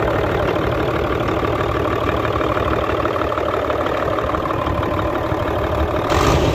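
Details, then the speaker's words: Hino Euro J08C six-cylinder truck diesel idling with a dull knock about three times a second from the air compressor side, quieter when a hand is placed on it. "तो खैर मैं आपको बताता चलूं इसकी आवाज़ जो है कंप्रेसर की तरफ से ए रही है ठीक है"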